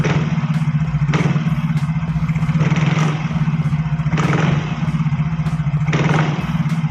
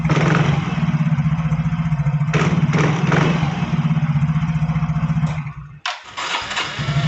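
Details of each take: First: Yamaha Fino automatic scooter, smooth at idle but with judder: each throttle snap brings a rough clattering rattle from the CVT area; on teardown a pin inside had come loose. Worn CVT parts suspected. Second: Yamaha Fino automatic scooter after CVT repair: even thumping idle at about four beats a second with clean throttle blips. The earlier crackling (kretek-kretek) noise when snapping the throttle is gone, and the belt drive runs smooth.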